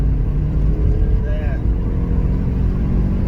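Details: Rover 25 after replacing the coil packs, which had caused hesitation, misfiring and a flashing engine light: engine warmed up, strong even pull at full throttle to about 60 mph, no stumble or hesitation; running cleanly.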